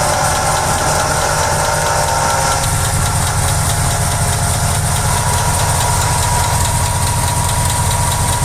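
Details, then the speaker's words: Engine idling with a worn water pump bearing: a thin, constant whine and light rough whirr ride over the engine sound, caused by bearing wear from use. "También tenemos el sonido del escape roto y a veces debido al movimiento y al uso se desgastan los baleros del alternador, de la bomba de agua, del compresor, etcétera. En este caso es el de la bomba de agua y se escucha así."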